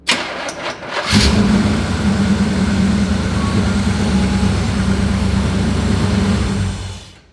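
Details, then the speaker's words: 1965 Chevy Impala V8 after 10+ years sitting, failed ignition control module in distributor replaced (fuel issue still unresolved): short crank catches immediately into a steady, even idle with no misfire. "so now look at this look it starts right up"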